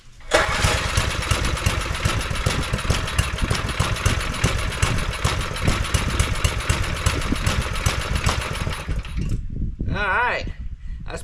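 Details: Neglected John Deere tiller with a swapped-in non-original engine, new spark plug getting fuel: runs about nine seconds with a ragged, wavering beat that never settles, then cuts out; governor fine, some adjustment needed. Uneven running.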